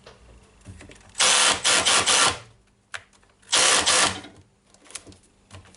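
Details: Makita DDF481 cordless drill that shows heavy use, run before its faulty chuck is replaced. Two short high-speed bursts give a smooth, even whir with no grinding or clicking; the gearbox sounds healthy.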